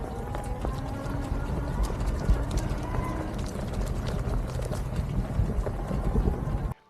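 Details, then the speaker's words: EBOT T6F foldable e-bike, a low-cost model, while riding: loose, uneven clattering ticks over a rolling rumble. The bike rattles more than other e-bikes, source not found. "just rattles as you ride not excessively but more than any other ebike I've ever ridden and so it can be a little bit disconcerting as you're riding to hear that rattling"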